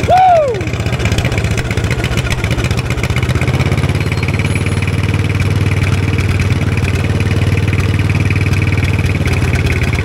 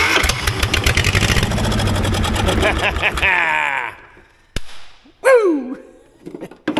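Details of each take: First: 1960s Caterpillar pony (starting) engine just after carburetor cleaning, running at mid throttle on a roughly 30-second run, not yet warm: brief start-up whine, then steady even firing with no misses; runs really good. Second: 1960s Caterpillar pony engine cranking after cleaning points and contact disc: fast even cranking that never catches; spark confirmed, no fuel reaching carburetor.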